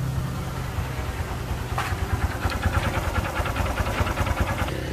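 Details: Honda Future 125 motorcycle with a seized (lột dên) engine. At idle, a sharp, rapid metallic tap rides on every turn above the putter. Connecting rod bearing knock.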